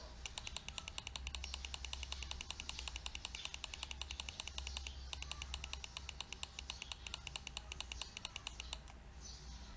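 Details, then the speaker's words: Mouse after replacing the double-clicking switch with a Japanese switch: crisp, evenly spaced clean clicks, snappier and different in tone than the original Chinese switch, no double chatter; normal click. "the one thing I would say about this switch over the original is that this one feels a bit snappier the clicking sound is also different on the Japanese switch versus the Chinese switch"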